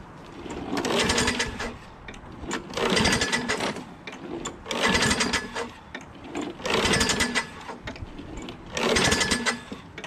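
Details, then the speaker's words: Craftsman 6.5 HP Briggs Quantum FWD mower with new starter, battery and magneto, on electric start; revs swell and die roughly every two seconds without settling. Surging; owner suspects a dirty carburetor, and the throttle cable is also broken. "so all right so it does start but i think the carburetor might be dirty"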